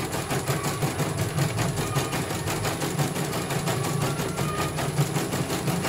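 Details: CNY computer embroidery machine from Banjarnegara, Central Java, test-stitching after service (dynamo motor earlier wouldn't spin at all): quick, even chatter about three strokes per second over soft motor hum, no grinding; one colour finished, result very good, normal stitching.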